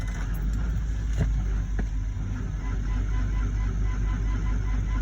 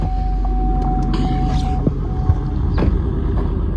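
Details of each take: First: Chevrolet Suburban below zero degrees, cold-soaked after freezing days, weak battery on charge, full tank, oil pressure showing: dull slow labored cranking, uneven beat about two per second, not firing; slow cold crank, weak battery. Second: Suburban cold start at about -10 degrees after sitting, on a new battery after unplugging the blower motor resistor that was draining it: it catches and settles into a steady, even idle with no misses, knocks or stumbling; normal cold start.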